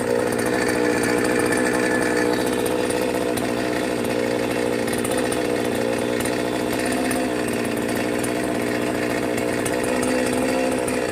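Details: Brand-new Magnum G11 chainsaw bought online, first run: drones at a strained pitch, won't rev cleanly, bogs and nearly dies on throttle; cause still sought.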